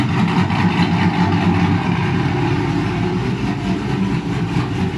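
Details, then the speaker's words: Dodge Charger after a thermostat replacement, warming up at about 158°F before the thermostat opens at 180: the idle has an uneven, chopping beat of two or three lumps a second, heard with the hood open. "You can hear it chopping. Like I said, it is chopping."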